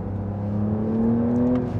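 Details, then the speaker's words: Porsche 992 Carrera T, 3.0-litre twin-turbo making 380 hp, revving high in Sport Plus: a steady, thin, electric-motor-like whine rides above the engine and climbs slightly with revs; source unclear, possibly the turbo. "It sounds like there's a whine. Not from the, maybe it is from the turbo. I'm not really sure. When it's really high revving, it's kind of like an electric motor whine or something."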